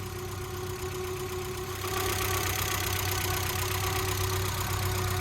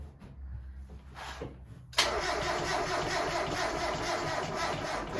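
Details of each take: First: 1992 Mazda Miata (NA) engine, freshly rebuilt with new seals and fluids, warming up while the cooling system burps: smooth, steady idle settling slightly higher after two seconds, even beat, no ticking or knocking; normal idle. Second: 1992 NA Mazda Miata with a freshly rebuilt engine, cranking: a sluggish, dragging starter churn with no catch; slow cranking, a weak battery is suspected and a jumper pack was fetched.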